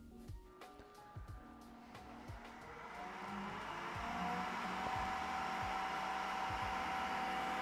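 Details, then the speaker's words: Creality K1 side cooling fan with a large two-chamber 3D-printed resonance muffler with big holes: airy whoosh builds then settles to a steady rush with faint tone; about 63–64 dB, airflow 5.1 m/s, fan running normally. "yeah similar to last time 63 64 but I wonder what the air speed is"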